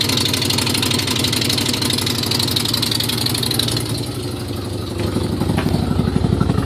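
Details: Nissan Z31 in cold morning: loud, raspy ticking puff at idle, about four per second, with uneven loping beat; exhaust leaks from broken head stud, cracked manifold and broken crossover-pipe stud, plus timing belt off by a tooth.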